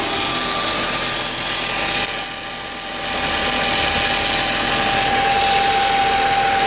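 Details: 2004 Audi A4 B6 1.8T after new water pump and timing belt: idle with a faint steady whistle, slightly irregular beat and one brief dip in level; rough idle, cause unknown.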